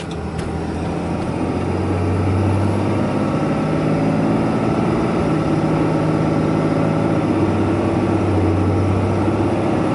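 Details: 2012 Ram 2500 Cummins diesel pickup driving up a big hill while warming to operating temperature: steady diesel drone climbing under load with a faint high turbo whistle. The turbo is spooling normally, and exhaust gas temperatures are now cooler.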